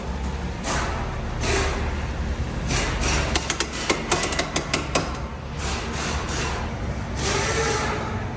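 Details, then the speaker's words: Jeep Wrangler JK 4x4 on road test: over road and wind rush, a burst of rapid metallic clunks for about two seconds; dried-out, failed CV joint on the front driveshaft. "what was it a cv yes on the front drive yeah cv on front drive shaft you add any lift to these things and it smokes the cvs"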